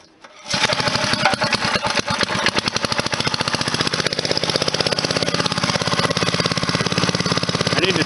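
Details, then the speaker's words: Briggs & Stratton 2–8 HP points engine after servicing the starter clutch, points and condenser and cleaning the plug: catches on the pull and runs a crisp, even beat with no misses and no smoke; normal running. "Look at that, man. No smoke or nothing."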